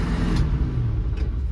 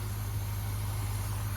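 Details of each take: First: Squarebody floored, holding a flat low drone that never climbs, bogging from seized carburettor secondary throttle plates. The exhaust was checked and not clogged, and a timing adjustment did not fix it. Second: Cheap squarebody V8 truck at first start, cold: a deep, steady, smooth idle with no misses or knocks, running like a top. The accelerator pump works and the wiring is mouse-chewed; a cooling issue means it must be shut off before it warms.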